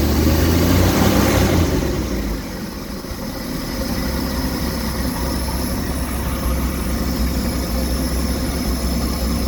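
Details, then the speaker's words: 1967 Chevy 250 inline-six after tune-up with plugs gapped 0.035: low uneven loping idle after a brief rev, still shaking a bit; owner plans to check timing and carb. "Seems to be running a wee bit better, maybe. Still shaking a bit."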